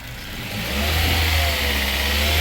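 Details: Toyota 2NZ-FE engine after reassembly, having been noisy with a hum or whistle when revved; revved gently, it climbs smoothly from idle to a held rev and stays even, with no whine or roar. It sounds healthy.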